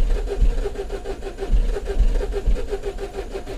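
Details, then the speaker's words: 2012 Mini Cooper 1.6L manual, new fuel pump already fitted, starter churns in slow uneven pulses without catching; rail pressure 21 PSI, code 002BFA, fuel line found completely dry; no fuel delivery. "oh look at that rail pressure so we're never going to get to start with 21 PSI"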